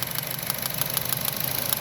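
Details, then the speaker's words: 2011-2015 Chevrolet Cruze at idle, 77k miles, cylinder 4 misfire: sharp snapping tick about six a second as the failed OEM coil pack sparks under the hood; owner guesses the coil pack rather than the spark plug. "either a bad coil pack or bad sparkplug I'm gonna guess it's a coil pack"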